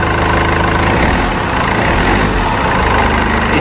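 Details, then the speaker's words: Mercedes C220 CDI W203 with fault code 2359, power loss and black smoke, started after a hose and connector were refitted: an even diesel idle clatter with no hunting; afterwards no fault codes and the turbo sensor reads pressure correctly. "Let's see how it goes It's good to start, it starts, that's a good sign"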